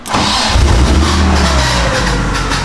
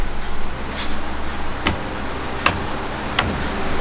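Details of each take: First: BMW E36 drift car with stock engine, being prepped for a 1JZ VVTi swap, hot-wired with fan, fuel pump and starter switches after the key ignition broke: short crank, catches at once, flares, then settles to a steady idle; normal start. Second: 1JZ VVT-i engine being swapped into a BMW E36 drift car, hot-wired after the ignition broke: slow uneven cranking ticks, then the engine catches with starter drag lingering into the run-up, a starter that sticks and hangs on after start.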